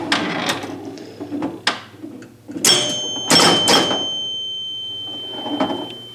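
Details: EM Gottlieb pinball machine after chime unit rebuild, glass on, during play: clean bell strikes at low, medium and high pitches (tens, hundreds) over ball and flipper clatter; normal chime operation.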